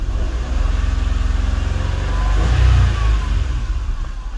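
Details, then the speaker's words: Nissan Almera 1.2 three-cylinder that stumbled and stalled at idle, after injectors and spark plugs refitted: steady even idle then a clean quick rev rising and falling smoothly without stumbling; engine now runs normally. "ไปดูอาการเครื่องกันหน่อยเมื่อเครื่องเดินนิ่มเลยครับ"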